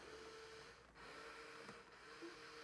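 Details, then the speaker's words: 1989 Porsche 911 Carrera 3.2 Cabriolet, power mirrors after repairing hacked door wiring, passenger side selected via switch: faint thin even motor whir, no grinding; both mirrors now work normally. "everything moves as it should in the right direction goes down goes up right everything and now flip the switch and this side works works great too"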